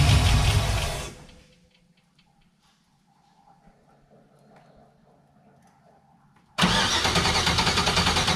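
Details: Turbo Chevrolet C10 truck at first startup after heads were resurfaced and valve-jobbed: engine runs loud and uneven with a stumbling beat, a misfire still present, traced to plugged injector screens on two cylinders.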